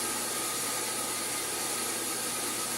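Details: Sun SPARCstation 20 running power-on tests: loud steady airy roar with a thin whine on top, no speed change; original cooling fan dying, to be replaced with new fan.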